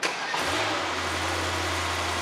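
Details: 2021 Mercedes GT63s AMG after a full engine rebuild, restarted after deleting four codes including bank-two faults. Quick crank, sharp rev flare, then a smooth, steady low idle with no ticking or rattle. Normal cold start.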